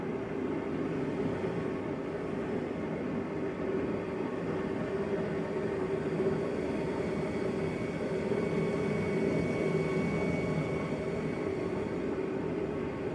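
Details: Bauer forced-air portable propane heater, first burn just after lighting with the igniter button: steady even roar of blower and flame with faint constant hum, no sputter or surging. Normal running.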